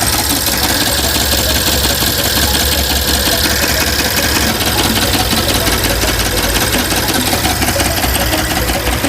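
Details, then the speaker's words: BMW X5M S63 V8 (555 hp) on cold start: sharp, crisp metallic ticking at engine speed from inside the engine, gone when warm; caused by worn hydraulic lifters with leaking oil chambers, fixed by replacing the full lifter set. "就是这个嗲嗲嗲嗲，类似于敲铁一样的清脆异响。这个异响的声音呢，很明显，听着就是从发动机内部发出来的。"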